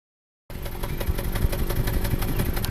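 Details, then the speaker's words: 2014 Subaru Forester 6-speed manual, 120,000 miles, running rough after spark plugs, coil and injector were already replaced: idle with uneven run and irregular exhaust pops, misfire traced to a burnt exhaust valve. "And the customer complaint is engine is running rough, feels like a misfire, parts can and has been unloaded."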